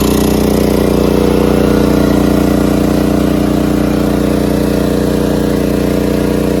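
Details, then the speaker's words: Generator powering the home air conditioner through a newly installed soft start kit, running at only 50 percent of capacity: steady, even drone at constant pitch with no hunting, surging or misses; normal running under moderate load. "that's only running at 50 percent of capacity and that's mine that's my air conditioning"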